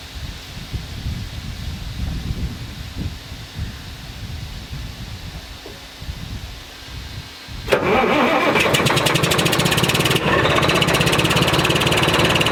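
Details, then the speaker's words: 1991 Freightliner FLD120 with Series 60 Detroit diesel and Rockwell nine-speed, unstarted since last July, started with just fresh batteries: quiet several seconds, then cranks and fires into a loud clattery idle; bad injector causes misfire, run kept short. "i know it was kind of a short start but there's a bad injector so we couldn't really you know keep it going much longer"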